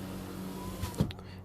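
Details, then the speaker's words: 2004 Peugeot 307, a working window used on automatic: faint, even motor hum briefly, ending in a soft thump as the glass seats; window closes normally. "then you have the automatic which you you press fully and the window will just come down on its own the same one you close the window will go up on his own"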